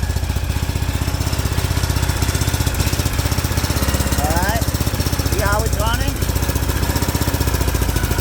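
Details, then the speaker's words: Briggs & Stratton overhead-cam twin engine chugging with uneven stumbling firing pulses, heavy blow-by at oil fill cap; owner suspects a broken valve or bent push rod: rough running. "Pull the oil fill cap off. Look at that. That blow by. I suspect we got a broken valve drain or something."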